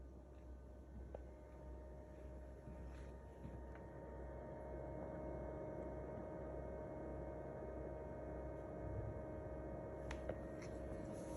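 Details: Abnormal noise from a GE Cafe refrigerator: low steady hum under faint irregular ticking and a few sharp clicks, cause unclear.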